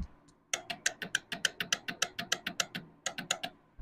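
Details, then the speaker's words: Bike with the ignition on and the self-start button pressed gives rapid sharp tick-tick sounds in two bursts with no cranking; this is said to be 90% the starter motor, typically worn carbon brushes. "நீங்க சாய் போட்டு self button அமுக்கும்போது tick டிக்குன்னு sound கிடைச்சதுன்னா அது compulsory 100க்கு 90% motor தான். வேற எந்த பால்ட்டும் வராது. Self motor பபால்ட்தான் வரும்."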